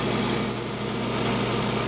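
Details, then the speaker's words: Homemade de Forest oscillion transmitter tube on the vacuum pump during a repair attempt: steady rough pump drone with restless bubbling gurgle as air leaks in through a stress crack where the evacuation stem was sealed to the glass; repair failed. "we have a complete failure you hear the the pump bubbling and bubbling because the joint right he"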